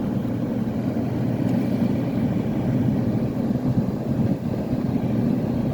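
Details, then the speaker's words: Kenmore (Whirlpool) 10K BTU medium-chassis air conditioner running and blasting cold air; steady even low hum and airy rush with no knocks or rattles, compressor and fan running normally. "Thing is blasting out the cold air."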